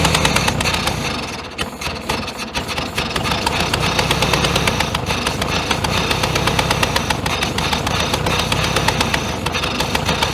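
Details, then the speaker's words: 1966 VW Beetle not run for about 10 years: an uneven, lumpy idle with a missing pulse, a dead cylinder; owner suspects bad spark plugs. "we didn't get it to sing we might have to change the plugs in it too they might be pretty crappy"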